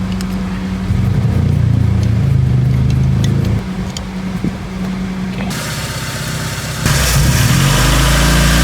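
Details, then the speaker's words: Proton Saga/Iswara with new AC idle-up vacuum actuator fitted: steady, fast idle with no dip; the new actuator's adjust screw sets idle RPM too high and needs adjusting. "Ini untuk control idling RPM. Yang baru terlalu tinggi,"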